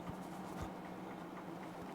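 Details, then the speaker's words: Hampton Bay ceiling fan, microphone held up to it: a low steady hum with dull, irregular knocks. Suspected worn bearing at the top of the motor, not confirmed. "i'll put the mic up to the ceiling fan you can hear it knock you're knocking absolutely pathetic absolutely pathetic"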